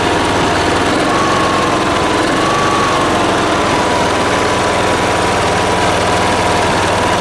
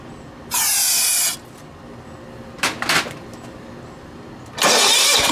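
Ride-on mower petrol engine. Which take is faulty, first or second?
second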